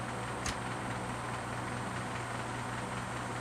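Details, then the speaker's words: Grundig TK 6 reel-to-reel tape recorder, running again after a blown fuse was replaced, at 9.5 cm/s (3¾ ips): constant even hum and hiss at steady speed, no wow, scraping or squeal; normal motor running. "okay let it get up to speed we're running it 9.5 centimeters per second or three and three-fourths inches per second on the grundig tk six rear reel tape recorder"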